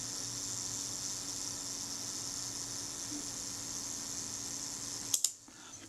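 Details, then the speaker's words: Retina IIIc serviced shutter, possibly still slightly fast: self timer gives a steady, even high-pitched buzz for about five seconds, then clicks off as it trips; smooth, normal self-timer run-down. "that was very smooth that was good and on the one second speed yeah that's pretty good"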